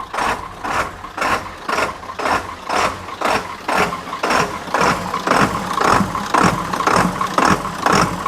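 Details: 1997 Ford F-350 7.3 turbo diesel after starter replacement: loud, rhythmic diesel clatter pulsing about twice a second at a settled idle; running steadily.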